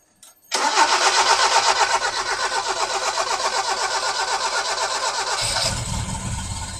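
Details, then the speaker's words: 1971 Toyota Celica TA22 with a newly fitted carburetor and new fuel pump, first start on new fuel: even cranking, about four turns a second, runs several seconds before firing while the dry fuel bowl fills. "pump yes look I knew it was going to take a little while for it to fill the fuel bowl it's done that"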